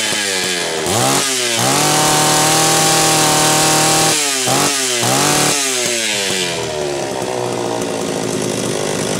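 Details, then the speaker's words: Homelite Super XL-925 chainsaw with good compression, double governed by a factory hole in the high-speed nozzle and a side governor assembly. Revving up and down turns burbly and stuttering at the top as it loads up, and it still needs tuning. "remember this is double governed it's got a hole that is Factory in the top of the high speed nozzle and it's got the governor assembly on the side so it's not going to sound that impressive revved because it's going to load up"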